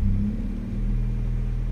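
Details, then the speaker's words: Honda Civic VTi VTEC manual, in neutral with AC off after idle adjustment: throttle blipped and released, revs fall back, dip slightly then settle to steady idle; normal return. "Normal yan, hinga ng konti. Yan, good."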